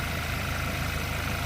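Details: 2010 VW Golf GTI 2.0 petrol, just fitted with a new battery while checking a suspected parasitic drain: smooth, even low idle, no misses, ticks or knocks; started perfectly, alternator charging fine.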